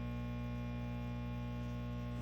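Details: Mesa Engineering Triple Rectifier Solo tube amp head that no longer switches channels: a steady 60 Hz mains buzz with a buzzy edge, constant pitch and level; the buzz changes with the loop send control and stops when a preamp tube, thought to be V3, is pulled.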